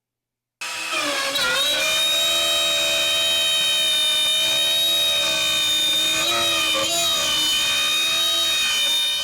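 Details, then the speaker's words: Shapeoko Pro CNC router in an accuracy test, cutting a circle at the same depth after aggressive cutting: steady high whine with even overtones and only small pitch dips; cuts cleanly without bogging. "I don't think it has any struggles here either. I'm actually kind of surprised and excited about this."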